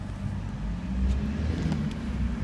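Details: Range Rover P38 4.6-litre Bosch V8 after misfire diagnosis: a steady, even low rumble with no stumbles that picks up cleanly on the rev, sounding healthy.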